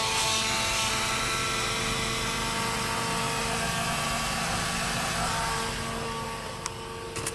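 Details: 1996 Ford F350 7.3 Powerstroke diesel after electronic fuel conversion with new fuel pump: steady diesel idle, even clatter, faint pump whine on top; starts and holds a smooth, healthy idle.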